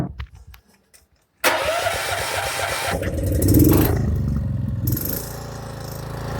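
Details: Honda 6500 generator with a dual-fuel gasoline/propane carb kit and 11-inch water column regulator, running on propane: silence, then it catches first try and settles into a steady, even run with no misses or knocks.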